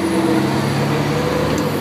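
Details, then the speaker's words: Heavy truck diesel in gear with engine brake switched on, clutch pressed into free play: revs run down smoothly on throttle lift with no engine-brake bark, just a steady low drone; clutch switch correctly holds the engine brake off. "See? It won't kick on."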